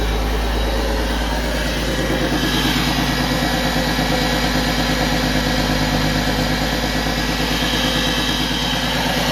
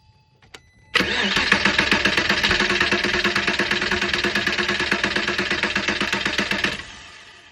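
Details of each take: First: 2001 Porsche Boxster 986 after fuel pump replacement (old pump gave about 20 psi, causing rough idle or no start): smooth even idle, steady low beat, no misses, ticks or pump whine; engine running healthy. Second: 2001 Porsche Boxster 986 with rough idle/no-start: engine cranks and catches at once, then runs unevenly with a lumpy, wavering beat before shutting off; fuel rail pressure measured about 20 psi versus expected 58–60, failing fuel pump, replacement pump and filter planned.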